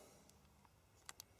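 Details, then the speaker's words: Chinese diesel parking heater showing error 06 after fan rubbed casing: two sharp circuit-board relay clicks with no fan spin-up though fan spins freely by hand; owner suspects burnt fan motor, sensor magnets look fine. "The circuit board clicks and nothing happens. The fan pin spins freely."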